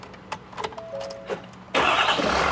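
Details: Ford F250 6.7L diesel that ran with DEF accidentally put in its tank: short cranking bursts, then it catches on starting fluid sprayed into the intake and settles into a loud steady run. Hard starting from the DEF-contaminated fuel system.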